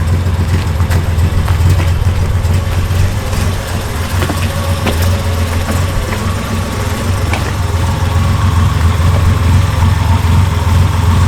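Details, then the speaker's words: Project car with a failed head gasket idling lumpily with irregular stumbles and missing exhaust beats; owner says the misfire is not ignition-related but likely a plug fouled by coolant, unconfirmed. "of course, you can hear that misfire, and that is not caused by ignition. That's caused by a foul plug because of coolant or something."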